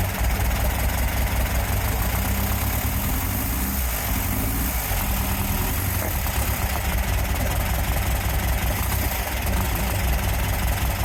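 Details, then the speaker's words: VW-engined sandrail dune buggy started after standing 18 months: lumpy, uneven idle with a stumble every few beats, firing on only three cylinders; owner suspects a split vacuum hose leaking air. "I think it's definitely firing only on 3. I'm going to take the spark plugs out and give them another clean, see what the problem is. Right, I found something else which might be the problem for why it's running very, very rough, and probably as it was previously."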